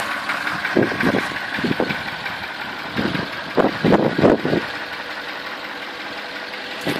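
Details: 2003 Porsche Cayenne S 4.5 V8 at idle, smoking badly from the exhaust: uneven heavy knocks in loose bursts over a rough idle; source unconfirmed.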